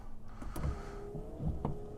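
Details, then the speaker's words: BMW E36 328 wipers after cleaning wiper relay contacts to cure wipers not switching off, car stationary: steady motor whir with soft clunks as arms reverse through intermittent, medium and full speed; normal wiper operation. "Works on the on off. On the intermittent, it looks fine, we'll wait for that. Yep, medium speed. And full speed."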